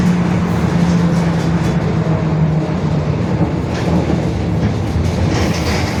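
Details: Marcopolo Torino S 2018 body on 2021 Mercedes-Benz OF-1721 BlueTec 5 diesel city bus, while driving: a low steady drone under road rumble that stays with road speed, from a growling rear differential.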